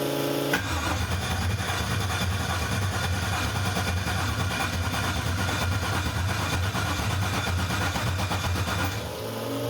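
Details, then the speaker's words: Newly built 6.2L L86 Gen V LT V8 with Holley Terminator X EFI, repeated start attempt while watching GDI controller lights: starter churns about eight seconds with even low pulses, never catches; nothing changes while cranking. "oh well nothing changed there and nothing changed there when it's cranking so I'll maybe do some research and figure out what we've got here"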